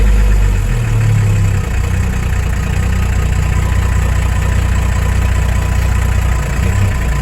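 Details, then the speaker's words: Freightliner FLU419 military Unimog diesel just after start-up, key on, hand throttle set a little high: fast steady clatter idling noticeably above normal; high idle from hand throttle set high. "so back to where we were our keys on throttle set up see my throttle is a little high"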